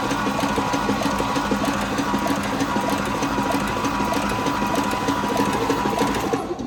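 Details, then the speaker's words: 1957 Lincoln Premiere, first crank, starter jumped at solenoid: quick, fairly even cranking chatter about three beats a second with no firing; one valve still stuck. "I still got one stuck valve but she turns over"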